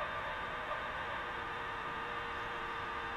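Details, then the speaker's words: Emerson R167 tube radio from about 1937–38, not recapped and resistors unchecked, powered up slowly on a variac: steady hiss, crackling static and a thin whistle with no clean audio; noisy distorted output, cause suspected. "well it's making some racket that's better than what we had before we started"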